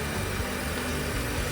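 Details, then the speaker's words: Audi Q5 diesel idling after engine work: quiet, steady, even low rumble with no clunking or diesel knocks, sounding like a new car with more power; normal idle. "So, I just finished uh the the work on the car and it sounds like a new car. No clunking, no diesel knocks, not sounding like a diesel"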